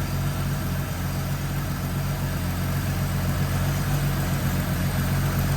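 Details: AMC Eagle after carburetor mixture screws were backed out another half turn each: even low steady idle with a smooth burble and no stumble or tapping; normal idle, purring.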